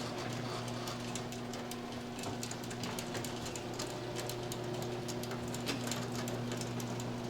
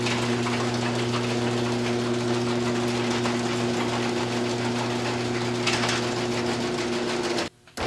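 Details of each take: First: Garage door after fitting new quiet rollers: opener motor hums steadily while the door travels with only light, scattered ticks from the tracks; rollers run quiet. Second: Garage door opener running before roller replacement: over the steady drone, rapid metal-on-metal clicking chatter from rollers whose bearings are worn out and loose despite greasing.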